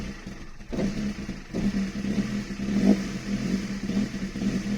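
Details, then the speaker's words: Toyota 2E with a 272-duration TRD performance camshaft, started after valve clearances were adjusted: low, uneven loping idle with small throttle blips; needs throttle held to keep idling, popping at idle. Lumpy idle from the aggressive cam. "she doesn't want to stay down she's she's definitely i can feel her man she's a um pretty uh lumpy cam for sure i have to keep my foot on that just to keep that idling"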